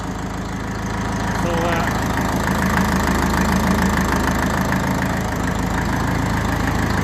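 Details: 1954 Ferguson TE20 (TEF) diesel tractor idling after a heater-plug-assisted cold start, heater plug rewired with heavier wire; even, steady diesel clatter at about two hundred beats a minute, no misses or knocks: healthy cold idle.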